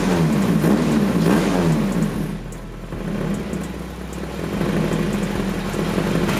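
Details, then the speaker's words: H23A-swapped Honda Accord with a morning-only no-start, after replacing the suspected ECT sensor: engine spins up and holds a steady, even running note with light rev changes, no stumble; runs fine. "new sensor she's running it sounds pretty good it's pretty darn good"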